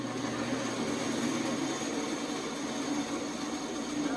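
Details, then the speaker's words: Restored 1950s Craftsman bandsaw, first power-up after belt conditioning and blade alignment: a smooth, even whir with a steady low hum and no knocks or rubbing. Normal running. "looks like it's going pretty good"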